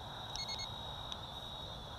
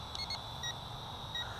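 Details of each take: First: CheerWing CW4 camera quadcopter (Syma X5C successor): short clusters of high-pitched transmitter beeps every couple of seconds over motor hum after pressing the headless mode button twice, confirming a mode change like one-key return. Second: CheerWing CW4 toy camera quadcopter in flight: short, high warning beeps over a steady motor whine signal low battery. The lights blink and the drone then lands itself.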